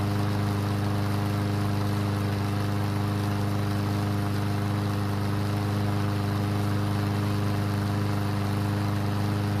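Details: Yard Machine single-cylinder mower that would not start after winter storage, after repair with fresh gasoline: steady, even drone at constant speed with no misses or knocks. Light smoke and oil mist from the muffler, likely too much oil. Normal running.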